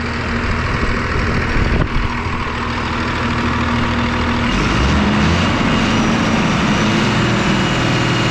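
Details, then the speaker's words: 5.9 12-valve Cummins diesel with a VE pump, sat 15 years, after gummed pump and injectors cleared up: steady, even diesel clatter at idle, lights right off, no misses or knocks, no blow-by; normal idle. "Well, just lights right off. I love these 12-valve Cummins."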